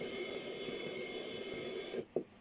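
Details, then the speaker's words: Over-40-year-old Walkman (used in 1984) powered from a plug-in supply: steady hiss with several high whistling tones, dropping out briefly, while the display slowly recovers; strange speaker noise, cause unconfirmed. "Lots of strange sounds coming out of this. Can you hear that? Strange sounds."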